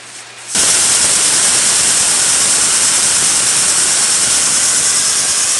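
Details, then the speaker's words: Vespa air compressor after refitting its pulley: with the motor off, a sharp steady high hiss as air is bled from the tank before restarting; normal tank bleed-down. "Ubusin natin yung laman guys ng tangke, tapos paandarin natin. Pasingawin natin yung hangin niya dito."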